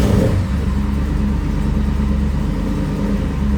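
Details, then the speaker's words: Quick crank that catches and settles into a steady, even idle in a Jeep Wrangler after the starter was replaced. It had been grinding on startup after sitting about three months. Normal start, no grinding. "that's definitely better. Oh yeah. Victory!"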